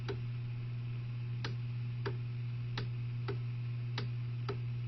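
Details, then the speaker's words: Hammond B2 organ start/run circuit fault: steady low motor hum with sharp clicks about every two-thirds of a second; start motor will not engage, shutting off when the run switch is on. "know if you can hear it clicking but that start motor will not engage when the run motor is engaged"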